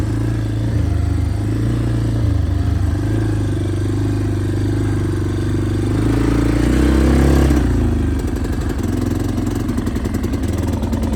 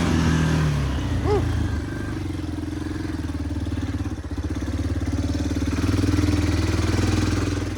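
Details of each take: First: Yamaha Big Bear 350 ATV: revs then drops to a lumpy, stumbling idle, super boggy; air filter ruled out as a restriction; owner suspects carburettor problems. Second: Yamaha Big Bear 350 ATV on a night test ride, after replacing the trashed carburetor intake boot: single-cylinder thump idles evenly, rises and falls smoothly with throttle without stumbling; normal running with good power.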